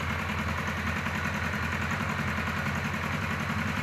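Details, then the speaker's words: Kawasaki KZ1000 Police four idling with uneven, lumpy beat, misfires and occasional pop/backfire, idle wandering like a vacuum leak; owner says cylinder two not firing, ignition good, exact cause unconfirmed. "so she's just not firing on two and it's not ignition I got good ignition then it'll pop once in a while and backfire a little bit and it's on this side it's got to be two"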